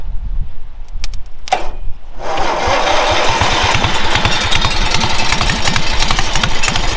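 A brief crank catches quickly and settles into an even, steady chuffing idle with no misfires or knocks; the engine sounds healthy.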